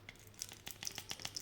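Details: Quad Era-1 headphones, right earcup shaken: sharp irregular ticks and light clicks from something loose inside a small compartment, rattling around.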